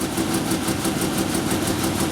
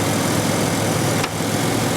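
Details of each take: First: 1997 Ford Ranger first start after rebuild work, with slight rev: lumpy, stumbling idle with choppy uneven pulses; misfiring because spark plug wires were installed out of firing order. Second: 1997 Ford Ranger, 228,000 miles, never rebuilt, after reassembly: warm engine holding a smooth, steady idle with an even hum, only slight vibration, no stumbles or ticks; healthy idle.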